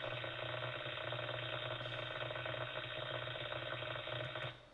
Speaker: we may hear corona depending on the voltage, and this is more to do like above 3 kilovolts. You might hear corona, and corona sounds like this.